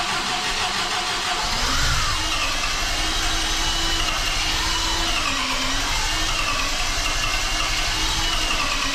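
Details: MGB engine after major overhaul with supercharger newly fitted, first start without coolant, about 40 seconds: catches after brief crank, then runs with wandering, slightly uneven beat; hard starting and rough running, owner says adjustment needed, cause unknown.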